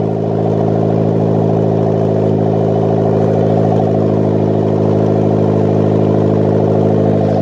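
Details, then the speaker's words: Custom turbo 1ZZ Toyota MR2 Roadster/Spyder on its first start, with the turbo oil feed deliberately left loose and the PCV and breather venting to atmosphere. Smooth, even idle with a steady low drone, no knocks or misfires, and not too loud. "but by gosh, that is amazing. Not too loud either."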